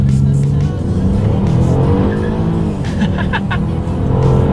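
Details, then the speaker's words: 2018 Chevrolet Impala 3.6L V6, 305 hp at 6,800 rpm, 264 lb-ft at 5,200 rpm, acceleration test from launch: rising engine note and brief tire chirp at launch, ordinary wheelspin under full throttle while pulling hard, nothing wrong. "guys hear that? Chirped a little bit there for me. Actually, definitely pulls very hard."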